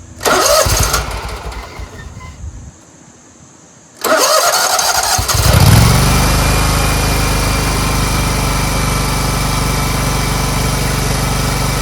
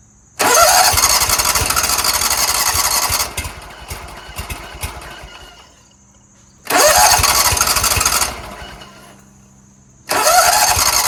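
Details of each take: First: Scag Tiger Cub 48-inch zero-turn mower after reconnecting the choke linkage: brief crank, then a steady, even, crisp run with no misses or knocks despite oil in the air intake; fixed. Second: Scag Tiger Cub 48" zero-turn, on a jump starter with the seat switch held down: repeated cranking bursts that never catch, as if there were no spark. Hard starting traced to a disconnected choke flap linkage.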